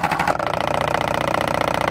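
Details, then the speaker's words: 12-volt virtual pinball shaker motor run at about 5 volts, loosely nailed to the workbench: fast, even buzz about twenty-three beats a second, steady; small but very loud; normal shaker motor running. "so it's a small motor but it's very loud so that'll be perfect in a smaller cab"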